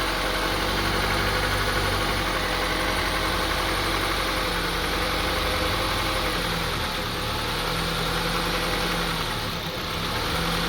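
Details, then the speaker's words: 2002 Honda CR-V 2.4L petrol engine, which also stalls and surges, idling very roughly, its low hum wavering and dipping. Cause under diagnosis, with the idle air control valve and throttle body being cleaned and tested. "As you see, the on idling, very rough idling. So we try to figure out what's caused this, diagnose this, try to fix this issue."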